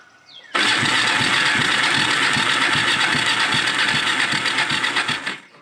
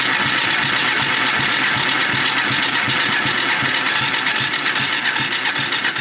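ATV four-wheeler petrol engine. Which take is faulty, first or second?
first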